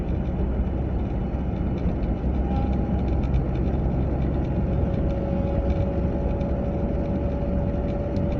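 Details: A 940 at about 30 to 40 mph: a faint thin whine over steady road rumble steps slightly lower partway through, heard from the passenger side; the source is not pinned down.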